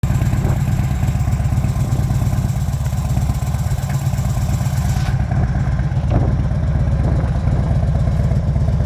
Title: First run up after rebuild FXDF Fat Bob